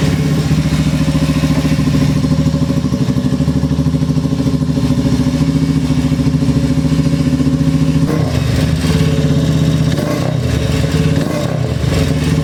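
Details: SS-X200 after hard-starting fix with damaged bendix drive replaced: steady low thump at idle, even pulses with slight blip near the end; starts and runs cleanly, normal running.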